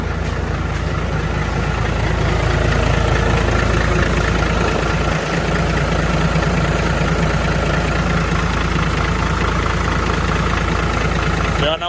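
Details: Diesel engine after fuel system cleaning and bleeding, weak power blamed on dirt in fuel; deep even idle with steady low beat, no stumbles or misses; fuel now flows freely; normal idle.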